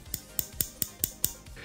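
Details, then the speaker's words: Benchmade Bailout pocketknife with a CPM M4 tanto blade, green aluminum scales and Axis lock, gently tapped sideways: six crisp metallic clicks as the poorly centered blade knocks the handle scale. Tightening the pivot and body screws didn't help. "the blade is literally grinding toward the handle when I gently tap the knife with my two fingers from the side I can clearly hear the blade banging into the"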